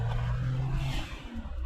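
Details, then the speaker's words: Suzuki Alto Works HA11S turbo, 3-speed automatic, full throttle up a hill at about 1.1 bar boost (possibly modified): engine pulls hard then a quick airy whoosh as throttle closes; turbo blow-off valve venting. "Ah, there's a blow-off valve. This is nice. That's fun."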